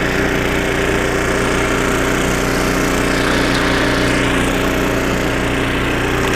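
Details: Snowblower about 25 years old, small engine after carburetor rebuild with carb kit and new needle and seat, working through snow: steady even firing, no surging, misses or knocks; normal running under load after repair.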